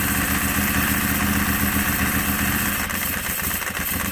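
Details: Ducati 748 bored to 853 big bore kit, first start after rebuild and fuel leak fix: lumpy but even V-twin idle with a quick rev blip, no knocks or rattles; sounds healthy.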